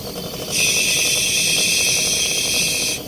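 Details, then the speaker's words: Fridge compressor replacement, flushing the freezer circuit with the line blocked by thumb: clean, steady high hiss for about 2.5 seconds with no oil gurgling. Normal refrigerant passing sound means the freezer circuit is clean; gurgling oil would mean it needs cleaning. "इस तरीके से freezer में passing की आवाज़ आती है। अगर इस तरीके से पासिंग की आवाज़ आ रही है तो समझ लो हमारा फ्रीजर साफ है।"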